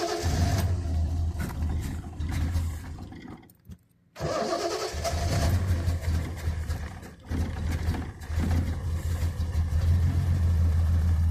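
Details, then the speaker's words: 1974 Triumph TR6 long sitting, new battery, old tank fuel, coil wired straight to battery for suspected voltage loss: cranks, catches and sputters unevenly, coughs, dies, catches again and runs ragged. Won't stay running; cause not confirmed. "going to crank it it spits and sputters but o it almost"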